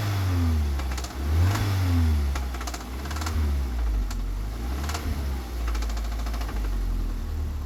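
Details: Audi TT 1.8T BAM 225 quattro, 172k miles: turbo four idling and blipped, with uneven tapping over the rumble that picks up with revs; engine knocking, source not pinned down.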